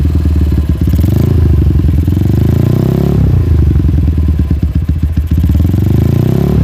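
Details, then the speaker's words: Hot Honda GL single-cylinder motorcycle with open exhaust: dense metallic clatter (kemletek) as revs fall slowly after throttle release; knocking with slow return to idle, loose top-end or timing suspected, unconfirmed. "Oke bisa kita lihat ketika kita gas kemudian kita lepaskan gasnya itu turunnya lambat nggak langsung habis nggak ngeng baru habis ngeng baru habis itu ketika mesin panas ya dan di sini suara kemleteknya seperti tadi"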